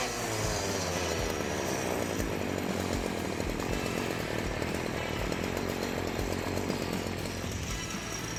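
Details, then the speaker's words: STIHL FC 56C edger after repair for not reaching full throttle and losing power, air filter cleaned and spark arrestor checked: high steady two-stroke buzz at full throttle without surging or bogging; running properly. "That sounded pretty good."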